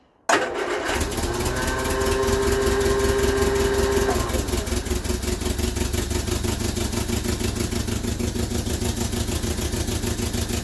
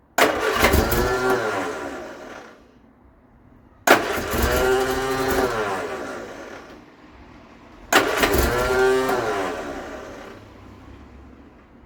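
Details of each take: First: Vauxhall Viva HC barn find after a new fuel filter fills with fuel: brief crank, catches quickly and settles into a steady, even idle. Healthy now; the fuel pump-to-carb pipe, possibly blocked, is to be cleaned. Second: Vauxhall Viva HC barn find with starting issue; three cranking bursts of a few seconds each, steady starter churn with no firing or catch. Coil or fuel supply suspected, not confirmed.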